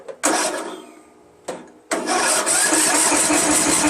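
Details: Free Craftsman LT1000 16 HP lawn tractor, not getting fuel, cranked on a battery charger's engine-start mode with fuel sprayed in and choke on: a few sharp pops, then a ragged burst; fires briefly but won't keep running.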